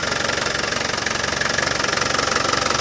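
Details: Land Rover Defender 200TDi diesel idling after a new power steering pump was fitted and bled: even, steady clatter with a fast regular beat and no rattle from the front; running healthy.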